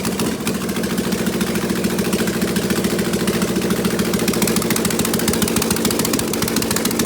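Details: Prepped V8 running open headers in open loop with mass airflow sensor unconnected, old thin oil, about 32–36 psi idle oil pressure: loud, lumpy but even idle, no tapping or misfire; healthy.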